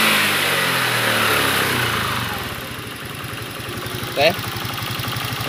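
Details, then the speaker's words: Honda Beat FI 110 single-cylinder after the too-tight valve clearance was reset to about 0.5: settles into a steady, even idle pulse after a short rev and holds without stalling. Stalling fixed. "ya ternyata sudah tidak matian lagi berarti memang benar ya masalahnya itu karena setelan klep yang terlalu rapat"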